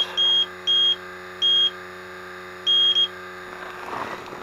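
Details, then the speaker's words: Leak detector beeping in piercing uneven bursts over a steady hum while searching an air conditioner evaporator coil found low on refrigerant; alarm indicates refrigerant leak, multiple leaks found at the coil. "I guess this coil has multiple weeks in it but if you see what I did to make sure it's not a false positive I when I when it started going off like crazy"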